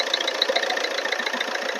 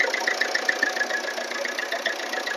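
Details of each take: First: Earlier recording of a 2010 diesel Maruti Swift Dzire that ran out of oil and overheated: rough, tinny running with an irregular ticking knock at idle. The piston rings failed; adding oil smoothed the sound, but the rings are damaged. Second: 2010 diesel Swift Dzire at block temperature, right after refilling its near-empty oil: a steady idle with an even light injector tick and no knock or rattle. The sound turned smooth once oil was added.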